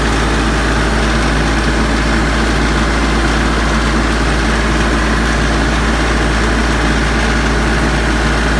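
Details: Branson 3520h tractor diesel after valve cover removal and valve adjustment for tapping/knocking: steady, even idle with deep hum and no tapping or knock, valvetrain fixed.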